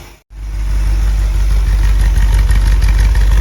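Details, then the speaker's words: 1957 Buick Roadmaster nailhead V8, first startup and cam break-in, air cleaner off: steady deep even idle, no misses or shake; earlier slight driver's-side miss smoothed out, no exhaust leaks. "Idle sounds good. I was getting I think a little bit of a miss on the driver's side before, but I think we're in good shape now. Everything kind of smoothed out."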